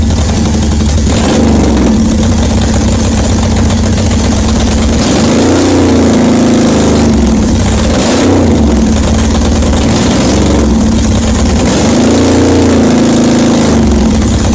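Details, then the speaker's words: 1981 Yamaha XS850 Special, carbs just reinstalled, cold, full choke: very loud raw bark at idle with throttle blips because the exhaust tips are missing; it is running, not smoking much. "well there you go it is running i don't know if you can hear me it's so loud it's got no exhaust tips on it but it is running"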